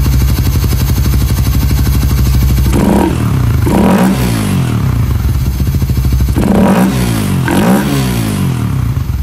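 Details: Raider 150 FI single-cylinder motorcycle, sound check after installing a ram air filter: idle rising into two sharp throttle blips with a loud, hollow intake roar from the open ram air filter.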